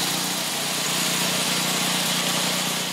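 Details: Craftsman 27-inch snowblower with previously dead Briggs & Stratton 8hp OHV engine, running on used oil to flush milky, water-contaminated oil: single-cylinder buzzing at steady high speed with an even note, healthy and smooth; normal running.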